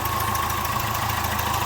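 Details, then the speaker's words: Citroën Nemo 1.4 HDi diesel at idle with a failed injector seal; quick, steady chuffing tick over the diesel clatter in time with firing, as compression blows past, with burnt-gas smell and carbon buildup. "donc ça il faut jamais laisser traîner ce genre de son si vous souhaitez pas aller au devant de deux ans nuit"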